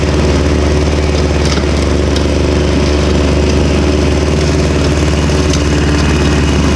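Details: Victa Super 24 / Super 600 70-series two-stroke mower, first mowing after about 8 years unused, carburettor split and cleaned, new fuel, started cold; strong, steady two-stroke buzz at even speed with no misses, surging or rattles, running cleanly.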